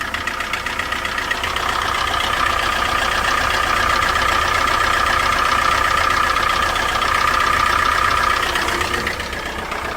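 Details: Chrysler PT Cruiser knocking after another shop replaced the oil sending unit; it was found with no oil, then heavy blowby and an oil leak. A steady, rapid knock about four per second over the idle. Internal engine damage suspected, not confirmed.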